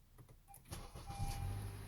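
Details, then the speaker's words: 2015 Honda Accord 2.4L Earth Dreams, 172,406 on the odometer, cold start after cam chain tensioner replaced per TSB 19-019: brief clicks, then smooth low rumble with no grind; rattle fixed. "Wow, no grind. Nice. That is awesome."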